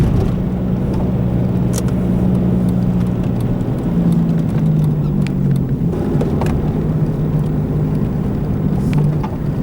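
A steady low drone and hum riding under the road noise while driving, the kind of rumble a worn wheel bearing makes.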